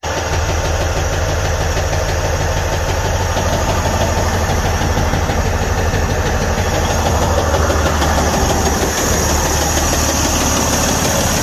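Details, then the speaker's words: Detroit DD15 diesel after a turbo runaway, turbo and injector replacement, and a full regen, at about 1,000 rpm raised idle: a deep, steady knock from the bottom of the engine, with low oil pressure. The cause is crankshaft bearing damage. "so this noise was uh coming from the bottom of the engine which is weird"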